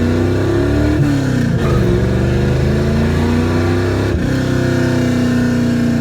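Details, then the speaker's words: 1967 Plymouth Valiant carbureted engine after realigning the carburetor gasket, refitting the air cleaner, tuning idle mixture screws and adjusting fuel pressure: pitch climbs and falls smoothly through the gears with no stumbles or misfires. "i tuned the idle mixture screws and adjusted the fuel pressure and it's running a lot smoother now"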